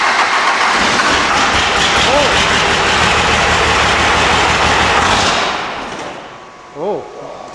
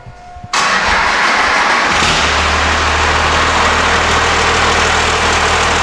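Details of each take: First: 12-valve Cummins diesel after installing Dynamite Diesel stage 3 injectors, with an S369 turbo: cranks and runs loud and uneven. It idles fine but pops and misses when revved; the owner suspects it isn't getting enough fuel for the injectors. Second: 12-valve Cummins diesel with stage 3 injectors and a big turbo, after P-pump timing adjustment: short crank, catches at once, steady even idle with no misses; a small pop under hard acceleration, possibly fuel supply.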